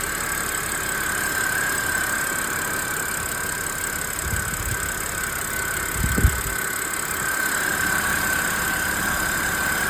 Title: Anybody knows where this whining sound comes from? Having an rough idle